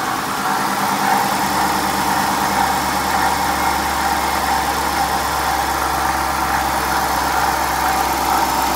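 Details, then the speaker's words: 2011 Dodge Durango 5.7L V8, just over 80,000 miles, idling: constant gritty whir and rattle from the front of the engine, steady with speed; failing water pump bearing, to be replaced. "I'm gonna start this engine up but you hear this this water pump because I've never heard morons make this kind of noise before"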